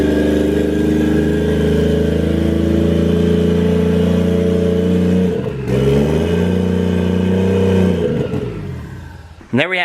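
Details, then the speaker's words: Used Toyota 1JZ VVT-i engine, sat for a long time with transmission fluid in the cylinders, first start after wiring: strong even run with clean revs, no knock or rattle; normal running. "she came alive that's right get old 1j fired up sounds good"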